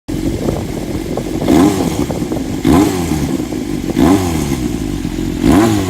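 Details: Honda CBX400F pre-regulation-spec engine at low rpm: lumpy running with a rough surge about every second and a half, an uneven off-beat engine noise of unknown source; abnormal engine noise.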